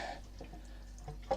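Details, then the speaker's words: Formosa 41 sailboat fresh water tank filling: soft, irregular pops and gurgles every half second over running water as displaced air bubbles through water trapped in the vent tube loop; normal. "you hear that popping sound that's the water moving around in there with the air going through"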